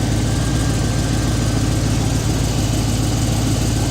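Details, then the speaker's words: Stock 2006 GTO LS2 V8, 20,790 miles, running on engine stand after 9 years stored, with 98 Camaro exhaust, low fuel: smooth even low rumble with steady beat, no knock, tick or miss; healthy idle. "The exhaust is off of my 98 Camaro that I've sold years ago, but just kept the exhaust laying around. It's good to hear it run after 9 years."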